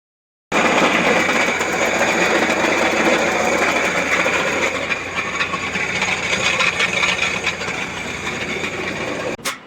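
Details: Renault Trafic 2.5 dCi diesel running with a loud, busy metallic rattle from a failing crankshaft pulley (harmonic balancer), fixed by replacing the crank pulley.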